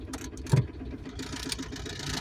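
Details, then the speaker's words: 1997 Ford Escort wagon after head rebuild with new valve seat, idling with AC on: rough whirring drone over the engine from the air-conditioning compressor; noisy AC compressor, cause unclear. "it does well I was right the AC does work but damn does that sound bad"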